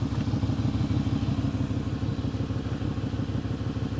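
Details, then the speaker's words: Jaguar XK8 V8 at idle, bought at auction listed as misfiring: steady idle with even rhythmic puffing tick, popping and crackling at the front, no misfire stumble; exhaust leak at the front. "it's not it's that exhaust blow you can hear it like popping and crackling at the front"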